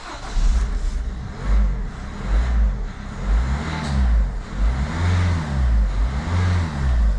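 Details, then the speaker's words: Peugeot DV6 diesel after EGR fault repair (codes P0489, P12B3, P1162; poor performance and non-start), codes cleared: catches and runs, revving up and down smoothly in repeated blips with no stumbling or misfire; starts and runs fine. "absolutely perfect let's take it down the road for a little bit of a test drive"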